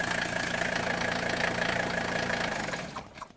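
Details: 1977–1985 Mercedes diesel that won't shut off. It clatters steadily at idle, then winds down and stops once vacuum is pumped to the shutoff valve, showing the faulty vacuum shutoff valve must be replaced.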